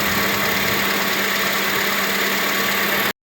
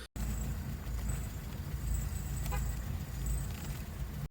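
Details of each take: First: 2005 Acura TSX engine idling with AC running after serpentine belt replacement (4-year-old worn, stretched belt swapped): steady even idle, no chirp or squeal from the belt drive; quiet after repair. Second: 2005 Acura TSX idling: faint high cricket-like chirps from the belt side, worse on initial acceleration, when steering while stopped, and with AC on; owner suspects the serpentine belt or a pulley bearing.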